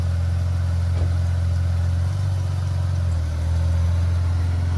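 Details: Ford Falcon with FG gearbox after selector arm and cable repair: smooth even low hum with slight load dip pulling forward in gear, no clunks or slipping; idling normally in drive.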